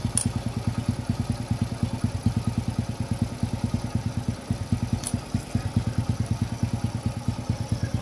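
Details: Engine idling after the timing chain tensioner is refilled with oil: steady low putter of about three beats per second, no rattle, timing chain quiet and properly tensioned.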